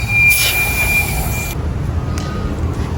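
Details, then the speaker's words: Built Mitsubishi Evo 8 with turbo, pressurized boost test: steady airy hiss about a second and a half then cuts off; boost leak at a corner fitting, possibly the one to the turbo. "You got a few leaks. You hear it on this corner. That fitting is leaking. You can hear on the corner."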